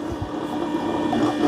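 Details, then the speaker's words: Eufy Omni C20 robot vacuum-mop base station washing its mop pads before mopping a kitchen: a couple of pumps kick on, the clean water tank feeds water, the pads spin and the dirty water pump sucks it up, a steady low hum with gurgling; normal operation, about 2 minutes. "You'll hear a couple pumps kicking on. The clean water tank is putting water down there. The mop pads are spinning, and then the dirty water pump is sucking up the water into the dirty water tank."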